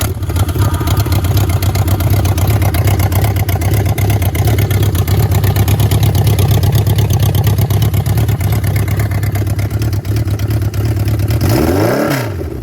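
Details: 1979 Yamaha XS1100 bobber with a titanium-wrapped shorty exhaust (two headers into one pipe per side), first start after the build: the four-cylinder settles into a deep, even burble with no knocks. Normal running and revving.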